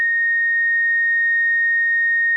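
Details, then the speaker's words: STI gauge cluster fitted to a 2006 Subaru WRX, with the key on: a steady, piercing high whine that never changes pitch or level; the gauges work but the cause of the constant whine is unknown. "it does not go away oh that's awful well the temperature gauge works or at least I think it does and the fuel gauge works just really annoying noise um I don't know I'll have to look into that and see why it's making that noise it's really loud though"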